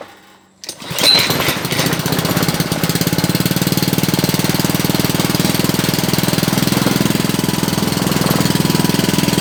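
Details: Honda GC160 5hp engine after a no-start repair (carb leaking fuel, faint spark found), started on choke: it catches after a brief pull and settles into a steady, even chug at about three beats a second. Normal running.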